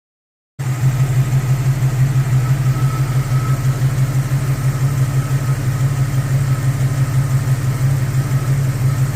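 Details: 1999 Jeep XJ petrol engine idling with a steady, even low throb and no clear knock, in a check of piston slap before and after a piston swap.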